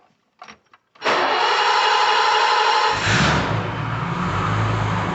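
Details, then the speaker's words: 1985 BMW 635 CSi started after the fuel system was pressured up and the exhaust and muffler refitted: brief starter spin, the engine catches cleanly around three seconds in and settles into a steady, even idle; normal start and idle. "that sounds like a running car yep that's kind of cool"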